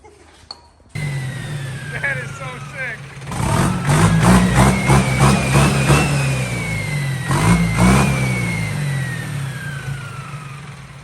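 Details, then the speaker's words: Old diesel tractor fitted with a large turbo, revving with climbing turbo whistle and sharp metallic pinging/tingling in the exhaust at startup; exhaust leaks present, turbo bearing wear feared, source not pinned down. "something there's definitely all kinds of pinging noises in the exhaust that voice sounds bad though"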